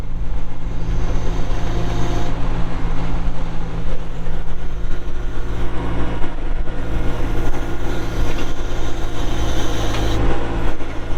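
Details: 1997 John Deere 310E 4WD backhoe, 2,280 hours, diesel with engine cover closed: deep, steady rumble holding an even speed with no knocks or misses; engine runs healthy.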